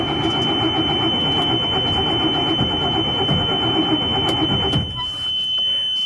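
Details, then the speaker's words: Diesel bus with manual transmission, cranked: steady rhythmic cranking nearly five seconds that never catches; starter has overheat cutoff; no start. "right I'm gonna let it sit for a minute I could have kept going this particular starter does have an overheat protection on it so if you crank it too long it'll actually cut off"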